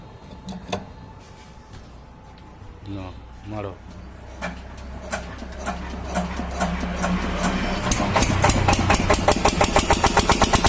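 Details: Kirloskar single-cylinder diesel after diesel filter replacement for a starting problem: slow thumps pick up and settle into an even beat of about two a second; normal running.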